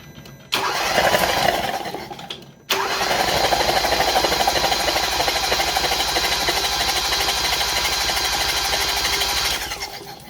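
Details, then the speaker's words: 2015 Hyundai Veloster GDI engine cranked with spark plugs out and fuel pump fuse pulled after a B12 Chemtool soak for heavy oil burning: two bursts of fast, even starter whir, no compression or firing, purging the cylinders dry. "we'll crank it until we get all the vapors and everything out of these cylinders till it's dry turn it off and then we'll put everything back together"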